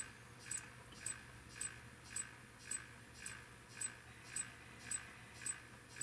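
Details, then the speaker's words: Neotec 2515C 25" arcade monitor chassis, no picture, B+ set to 125 V: power supply ticks about twice a second, trying and failing to start; works better at 108 V; suspected bad filter capacitor, before replacement. "one two three you can hear that now it's taken forever and it's trying it almost did it"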